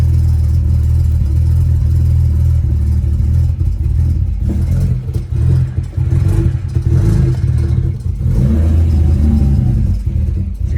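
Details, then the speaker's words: BMW 335i N54 with new spark plugs, coils and index 12 injectors, first cold start after sitting overnight: lumpy, uneven running with irregular dips; misfire bad until warm, then check engine light; owner was told high-pressure fuel pump, unconfirmed. "started up you know what misfire is really bad but once it gets up to temp everything is fine there is my misfiring"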